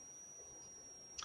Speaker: there's a a high pitch squeal as soon as I put the light next to it